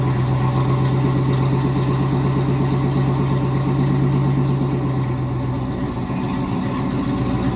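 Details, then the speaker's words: Chevy tow truck after transmission swap, running up to temperature: steady, even idle with smooth low drone, no knocks, slips or whine; healthy, transmission fluid a little low. "like sounds like a truck now that I got it together"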